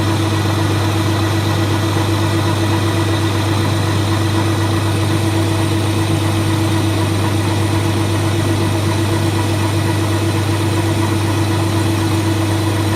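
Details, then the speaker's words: Colchester Student lathe handling a cut after facing: steady droning hum with a sustained ringing tone over the motor; cutting chatter from long unsupported bar overhang. "all right so it handles the cut but you can hear the harmonics and you can see them and that's because there's all this bar free my being very far left"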